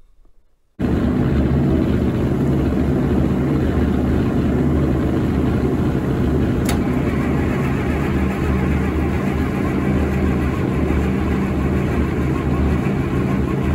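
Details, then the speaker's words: IH UD-16 diesel power unit on a 1945 Chevy truck, dry after long disuse, cranking slowly: a heavy low chug catches on a sniff of ether and fires for the first time on diesel, with black smoke. "we're very pleased the ud16 fired for the first time on diesel we had black smoke which is a good sign"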